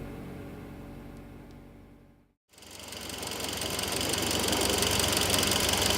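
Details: Mitsubishi Lancer Evo X at cold start-up and idle: sharp, even tick about three times a second over the engine hum; abnormal engine noise, source not identified.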